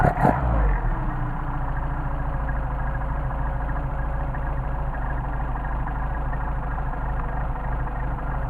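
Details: Mercedes 190SL with freshly rebuilt twin Solex carburetors, linkage adjusted, engine cold: steady, even idle recovering to about 600 rpm with good response, no misses or hunting; normal idle.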